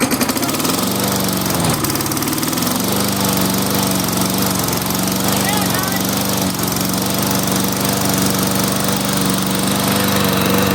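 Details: Toro mower, 6.5 hp Tecumseh engine, wouldn't start after winter storage, after carburetor cleaning, on customer's fuel: picks up and settles into a steady, even run at constant speed, no misses or knocks; healthy.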